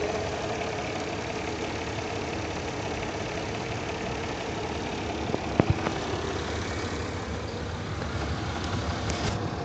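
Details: Mercedes M112 engine at idle: faint dull knock under the exhaust hum, not a light tick but a deeper, rattling sound; engine knock of unknown origin.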